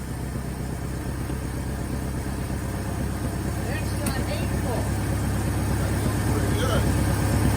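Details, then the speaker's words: 1963 Pontiac Tempest LeMans with the Trophy 4 engine (half a 389 V8) and four-speed: steady, even four-cylinder beat with a deep exhaust note building slightly with revs, no misses or knocks; runs healthy. "so damn that motor sounds pretty good that sounds way better"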